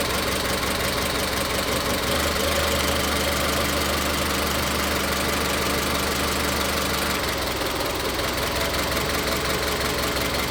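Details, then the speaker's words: Misfiring idle on a vehicle with individual coil packs: lumpy, uneven beat with a missing pulse. Unplugging coil connectors one at a time, the engine stops changing when one is pulled, isolating the misfire to cylinder three. "Como se puede ver, ahí encontramos la falla Cuando quito este conector, el motor no falla."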